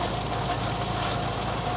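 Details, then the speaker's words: Boneyard car (Geo Metro) cold-started on a 20°F February day after sitting 4–6 months, cable had come loose: steady, even low drone, no misses or knocks; cold engine idling smoothly. "Well, that's been sitting for at least 4, 5, maybe 6 months. Not too bad."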